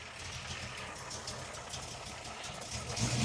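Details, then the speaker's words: Ford Falcon V8 with lumpy solid cam, new water pump just fitted, no choke, fan running: steady even rumble with faint fan hiss, no knocks or misses; healthy idle. "Ah, you can never get sick of this sound. The sound of a lumpy solid cam in a V8."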